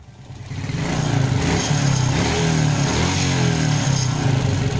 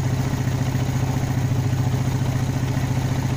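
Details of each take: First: Motorcycle with hot engine after carburetor repair for brebet (stuttering): revs to a steady, throaty run with no pops or bangs when throttle is closed; no more backfiring, engine still slightly rough. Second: Small motorcycle with carburetor brebet (stumble) problem, fuel-related, now idling fairly well: engine chugs unevenly at low revs, sputtering rather than picking up cleanly as the throttle is opened slightly, only revving up after a delay.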